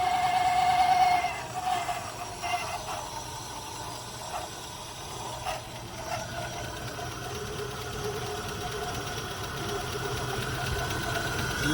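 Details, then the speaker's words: 1980 Rover SD1 V8 with old fuel injection, running after about 18 years: a slow, fairly even idle at about 600 rpm with no knocking, plus a loud alternator whine. Coolant flow uncertain, not very hot. Normal idle. "It's idling pretty well now. Look at that. It's idling like 600 RPM. For a V8, I mean, how could I complain about that?"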